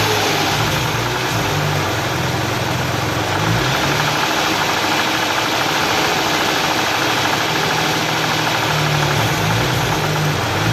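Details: Hyundai V6 idling with a rough, uneven mechanical rattle and brief revs; abnormal engine noise, no definite knock, cause unconfirmed.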